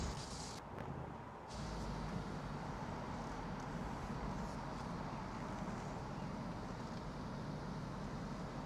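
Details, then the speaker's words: Range Rover 5.0 SVR V8, finance repossession after a major failure, running after repairs before a road test, ghost immobiliser issue pending: smooth, steady, even running with no knocks or rattles, revs crisply and takes off; normal running engine. "wow that is that sounds crisp as anything and that did just take off"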